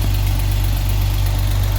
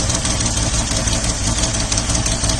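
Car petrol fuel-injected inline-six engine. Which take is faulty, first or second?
second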